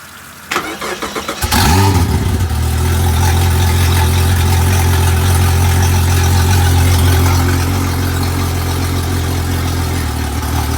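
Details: Honda 250 HP outboard on 21 ft boat, previously no-start with charged battery, apparently due to missing ground, jumper cable added to ground: a few cranking pulses, then catches into steady even low drone, no misses; healthy start.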